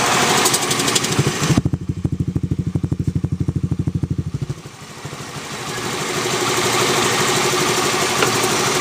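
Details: Zoomer X scooter idling with a quick, even clicking on every beat, then revving; clicking noise from the engine, cause unclear.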